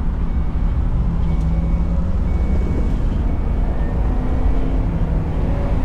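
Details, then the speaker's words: 2010 Ford E250 running after the starter wire harness and fuel pump relay ground repairs, with a temporary ground still in place: deep, steady rumble with an even beat and no misses or knocks. Battery light is gone; running normally. "mhm battery lights gone seems like it's good"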